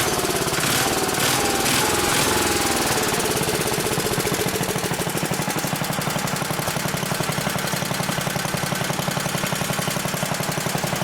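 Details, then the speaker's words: Old 1960s Briggs and Stratton single-cylinder, about 10 hp, Hale fire pump unit, on choke, freshly tuned, fresh oil, some old gas left: catches almost at once, settles into steady even thumping idle, no misses or knocks; healthy, slightly smoky. "Still has some old gas in it, but fires right up almost on the first turn."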